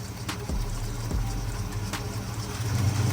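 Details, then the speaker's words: Oldsmobile Cutlass 442 idling low with an uneven, lumpy, slightly hunting beat; rough idle began about six months ago, with hesitation on initial acceleration and a known exhaust manifold leak; a vacuum line is suspected, unconfirmed. "definitely Island rough and it it wasn't Island like that before it just started doing that maybe like 6 months"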